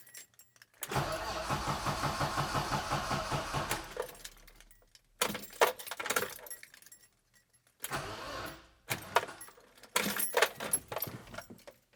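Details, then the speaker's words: BMW E30 long unused, battery on trickle charger, fuel pump fuse pulled to depressurize fuel system, exhaust removed (open headers): slow, labored cranking that sags and dies without firing; battery too weak. "didn't have enough juice in the battery, but maybe one time is enough."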